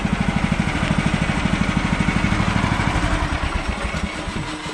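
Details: 2017 Woodland Mills HM130 sawmill cutting small logs; engine pulses about two and a half times a second, then the beat falters and fades as the band blade comes off the wheel; owner suspects non-water blade lubrication, not confirmed.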